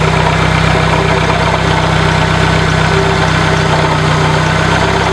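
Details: 1996 Dodge Neon idling with a rough, gritty grinding/scraping whir over the engine that gets much louder on throttle; it is easily confused with internal engine noise, but troubleshooting traced it to failed alternator bearings.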